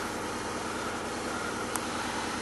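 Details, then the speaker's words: 2002 Ford Explorer 4.6 V8 after intake gasket replacement, cold start: idles steadily with an even hiss, no knocks or misfire, sounding as before; only an exhaust leak remains. "engine's nice and cold and uh looks like you're we okay sweet sounds good except for my exhaust leak I got to get that taken care of but sounds pretty good"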